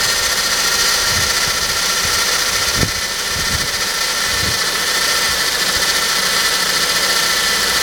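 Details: Saab 9-5 idling with a strange, steady, high-pitched whirring hiss over the run and little low rumble; the cause is unknown.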